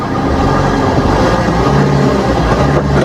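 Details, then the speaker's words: Maruti Swift diesel after replacing the worn alternator pulley (bearing gone), which caused a creaking chirp when starting, on sudden revving and with AC on; now a steady, even diesel note under a rev blip, no creak, normal. "കുഴപ്പമൊന്നുമില്ല sound ഒക്കെ ready ആയിട്ടുണ്ട് കണ്ടോ normal sound ആയിട്ടുണ്ട്"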